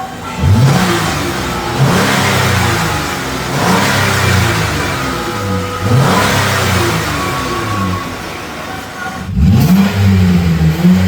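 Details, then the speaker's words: Chrysler Town & Country after repair of a massive muffler hole by fitting a new muffler, started in a cold shop: repeated revs rise and fall smoothly with a deep, even note, no raspy leak or blatting; exhaust sealed and quiet. "Should be a quieter car now with a more smooth sound with acceleration. Oh, yeah. That's quiet."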